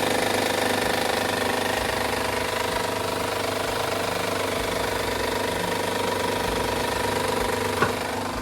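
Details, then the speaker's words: Honda 3.5 V6 at startup with inspection covers back on: a rough, fast chattering rattle from a slack timing belt with no tension. This noise means the timing belt needs replacing. "And that right there is the noise it makes when the belt has no tension"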